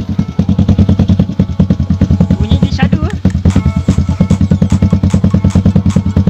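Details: Yamaha LC135 v1 after its broken exhaust, snapped in the middle, was repaired and repainted: crisp, even exhaust pops at a steady idle of about seven a second, with no blowing, rattling or leaking.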